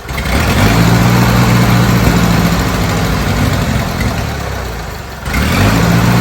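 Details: Old Bobcat 610 skid steer, Wisconsin petrol engine, old updraft carburetor, fed ethanol-free 90 octane from a jug, started with starting fluid: rough lumpy idle about 214 beats a minute sags near stalling then catches; runs only almost fully choked, dies on throttle. Cause unconfirmed.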